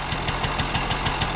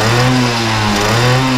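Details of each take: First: 1980 Benelli 3 V K Export two-stroke moped idling cold just after start with sharp, even puffs about six a second; the crisp ticking edge points to a small exhaust leak, judged harmless. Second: 1980 Benelli 3 V K Export moped two-stroke, warmed up after a cold start with slight smoke and possible small exhaust leak: clean buzz, pitch swinging smoothly with throttle blips; normal running and revving.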